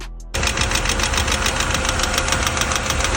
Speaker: Clac, clac, clac. Al encender puede ser falta de aceite. Evita sobrecalentar el motor.